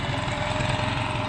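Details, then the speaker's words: Briggs and Stratton factory mud motor being revived, idling with uneven lumpy stumbling beat, rough idle; forward, reverse and lower end fine, had been backfiring, improving as it runs; owner suspects carburetor needs cleaning or a kit. "foreign so hopefully you can hear me like I said it's ruining everything but it ain't idling quite right but lower end's good I checked forward reverse all that's good"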